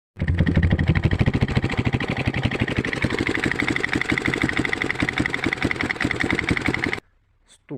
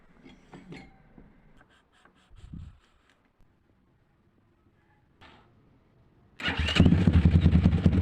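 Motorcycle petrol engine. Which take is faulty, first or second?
first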